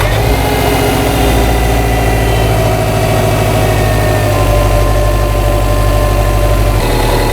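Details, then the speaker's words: 2008 Subaru Legacy after repair of stalling with bank 1 cam sensor and misfire codes, driven over 100 miles with no check engine light: a steady, even idle with no misses, knocks or stumbles; normal idle. "so the vehicle is fixed for the problems but what we need to do now is to check the waveforms from the cam shafts so that's what we want to go ahead and do go ahead and start it up test it"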